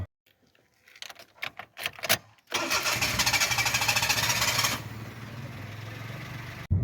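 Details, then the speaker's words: 2008 Toyota Vitz, 149,000 km, slow to start: uneven stuttering cranks for a couple of seconds before it catches and revs. It also jerks, lacks pickup and shows an engine light with stored codes; the mechanic plans to check O2 sensor, fuel pump, injector pressure and air leaks. "फिर starting में तो ये लंबी ले रही है उसे उसकी वजह से भी ये कोड ए सकता है"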